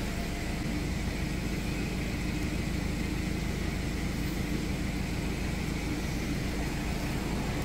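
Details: Starter motor from a John Deere X340 riding tractor, reassembled after its contact surfaces were cleaned, bench-run: a steady, even whir with a smooth low hum and no grinding or catching. The starter spins freely and sounds healthy.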